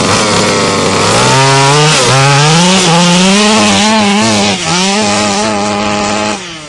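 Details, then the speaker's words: HPI Baja RC car two-stroke gasoline engine on 87 octane premix, climbing a hill under load: screaming note with brief stumbles and pops; carburetor needle valves need very small adjustment. "You may have just heard as I was going up this hill over here that it was popping a little bit. Unlike your nitro friends, these guys are really finicky with the needle valves."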